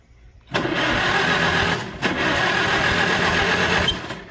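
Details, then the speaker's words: Non-running auction Farmall H tractor, first start after charging battery: catches and runs ragged and popping, stumbles near two seconds, picks up, then fades; fuel is old and leaking, owner thinks choke needs adjusting; "it runs, going pop pop pop." "But that's awesome. You know, it runs. It was going pop pop pop."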